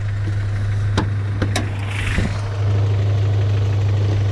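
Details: Honda Prelude with muffler delete and DC headers: steady, even low hum at idle with no knocking, misses or hunting; this engine is idling smoothly and sounds healthy.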